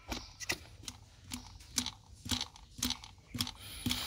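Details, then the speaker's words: Toyota Innova Reborn diesel AC blower motor, removed and spun by hand, gives sharp dry crackles about two a second; no dirt in the blower, fault inside the motor, a broken brush fragment. "ada bunyi krek krek krek seperti itu ya saat kita putar Nah itu berarti permasalahan ada di dalam sini yang kemungkinan dari laharnya sudah kering atau ada kekotoran yang masuk ke dalam"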